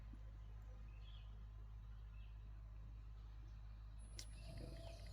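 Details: Euhomy 59qt fridge powered by a Litime 100Ah battery charged by a 200W Renogy solar panel, drawing 3 to 4 amps, in a pickup bed: steady low hum with faint outdoor noise; compressor running normally.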